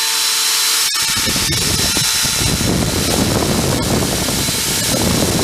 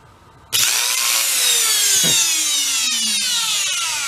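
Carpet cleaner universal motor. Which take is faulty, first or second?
second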